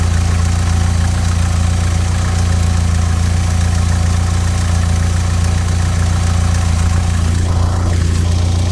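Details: 16-valve Mk2 Golf GTI, idle screw set to 950 rpm, CO mixture at 0.7% versus 2% spec after failing MOT on emissions: low idle with slow uneven lumpy beat, speed wandering, engine rocking; lean rough idle before CO adjustment.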